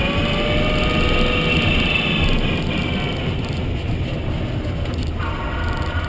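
High whine that slides in pitch with road speed over steady rolling rumble; the drive motor is noisy while driving.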